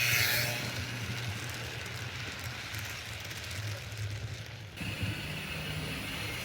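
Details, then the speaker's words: Serviced 1950s Olympic Express HO B&O GP7 diesel, formerly seized motor freed and oiled, wheels cleaned, pulling a train: soft steady motor hum and even wheel rumble, no catches or surges; runs normally. "so the diesel seems to be running pretty darn well there's just one more thing I want to check out and that's the low speed"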